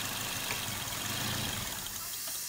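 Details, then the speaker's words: Petrol car running lean on bank 1 with code P0102 (MAF circuit low): with the MAF plug pulled, the engine idles roughly, stumbles and dies, showing the MAF sensor works; the lean cause lies elsewhere, such as an intake or vacuum leak. "it tried to stay running but it didn't so now we're going to check a few other things now because it's shut off when I pulled the plug that tells me the mass airflow sensor is not my issue"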